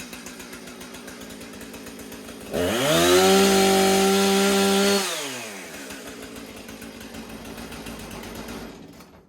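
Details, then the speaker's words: Husqvarna 455 Rancher chainsaw, reported running poorly, after routine maintenance. A crisp, even idle rises smoothly to a clean high rev, holds without stumbling, then returns to a stable idle; running well. "Sounds great. Wonder if it'll cut wood."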